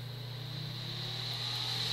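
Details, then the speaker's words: Breville Smart Toaster Oven repaired (spring replaced, parts realigned), air-fry mode: a steady, even whir with a thin high tone creeping up as the convection fan comes to speed, drawing 14 amps; fan healthy. "listen to that fan go that is really uh fast drawing 14 amps"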